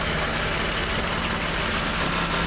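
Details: Jeep at steady idle: dry, buzzy metallic rattle, worsening since a rear main seal repair; the exhaust pipe is rattling against a skid plate probably bent during that repair, fixed with fabricated spacers.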